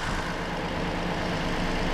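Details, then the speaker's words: 2020 Toyota Sienna with a crank-no-start from a shorted ignition coil, restarted after clearing codes; the OEM Denso plug looked fine: a steady, smooth low idle hum with no misses or knocks. Normal idle. "But everything else, let's start it. Starts. It runs."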